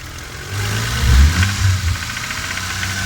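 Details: Toyota Supra 7M-GTE: idle with a quick blip and settle, a faint regular tapping riding over it; owner suspects an engine knock, cause unknown.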